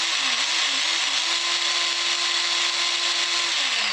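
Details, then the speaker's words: Work Sharp knife sharpener before repair: the motor whirs at a high steady pitch with no load or belt grabbing; the motor is fine, but the plastic idler wheel shattered, so the drive failed. "So there's nothing wrong with the motor. What is wrong is this wheel in here broke. It broke in half."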